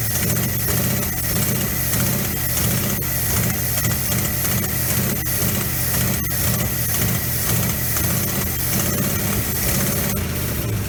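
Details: 1957 GMC 370 2-ton truck, original Pontiac 347 revived after 20 years seized, 6625 miles: lumpy uneven beat with stumbles over heavy low rumble, smoky from diesel and penetrating oil in cylinders; owner unsure it's on all cylinders.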